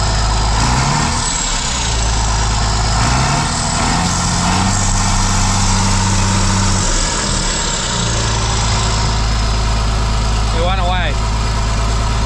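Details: Heavy combine diesel idling with a rough, raspy puff and hiss over the steady rumble on restart after reassembly and an O-ring swap; exhaust leaking at the turbo housing.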